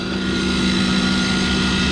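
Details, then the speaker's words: York rooftop unit burner assembly, first stage of heat being repaired (second stage lights): steady motor hum with rough buzzy whirr and constant tone; combustion inducer blower motor sounds worn and noisy. "combustion blower sounds like dog"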